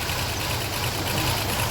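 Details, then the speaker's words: 2005 Toyota Highlander restarted after swapping spark plugs: low, lumpy, uneven idle with no steady rhythm, a rough idle. A bad spark plug or skipped timing is suspected, with a plan to replace all the plugs. "we've taken out all the swapped plugs and we're about starting it again for a second time let's see start start so I think we have a bad spot L I think we'll need to replace even the spark plugs too"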